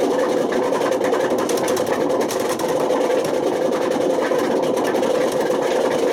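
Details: Washing machine at high spin with badly worn drum bearings: hard, steady roaring drone with a fast rattle; damage has spread to the spider and worn the motor, and bad bearings can smoke, overheat, spark and start a fire.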